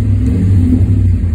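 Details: Ram 2500 pickup after exhaust leak repair with flex repair kit, exhaust cement and U-clamp: deep steady engine rumble with no ticking or puffing, a sealed exhaust running normally.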